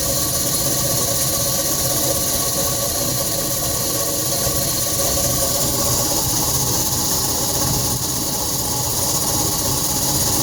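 Loud constant drone with a strong hiss over it, steady and unchanging; sounds like the unit's motor is on its way out.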